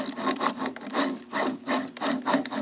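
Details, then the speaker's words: Zeiss SL-120/130 slit lamp joystick elevation makes a rhythmic dry rasping, about two strokes per second. It moves freely but is too noisy, and the owner thinks bearings need a little lithium grease. "When I move the joystick elevating the slit lamp, it makes a lot of noise."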